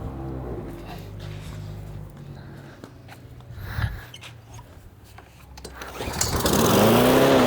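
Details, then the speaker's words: Troy-Bilt 21-inch mower with a Briggs & Stratton engine, test fire after carburetor cleaning and replacing a leaking fuel line. After handling noise the engine catches and climbs to an even, steady drone with no stumbling. Running fine. "Sounds good."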